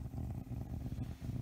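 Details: Pioneer SX-550 receiver with no sound output: a low, fluttering rumble from the speaker instead of program audio, with lights blinking; cause found to be bad solder joints under the power connecting pins of the AF muting circuit.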